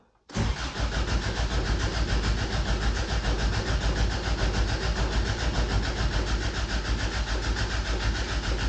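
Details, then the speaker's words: 1988 Toyota Pickup (Hilux), off the road nearly 5 years, fresh gas and new fuel line: starter churns steadily about eight seconds, engine never catches. Cranks and has power but no start; owner concludes the fuel pump has failed. "All right, so as it would turn out, I think I need a fuel pump. As in, we can turn the truck on and turn it over. It's getting power, but that thing's not working."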